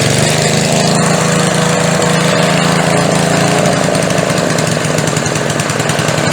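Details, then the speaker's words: Older edger-type small engine with a McLane carb, after a diaphragm replacement and with the air filter on and the blade fully engaged: it runs loud with a slightly uneven, hunting beat and a slight miss. The mixture still needs adjusting; the cause is not confirmed. "She's running pretty good now but she's got that little bit of a miss."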